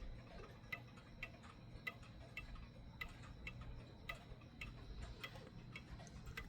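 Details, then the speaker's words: Mechanical clock set in beat: quiet, crisp ticks a bit under one per second, evenly spaced over a low room hum, so it keeps running instead of stopping. "So that way the clock stays running and it won't stop on you because the clock is not out of beat. Now the clock is inbeat now."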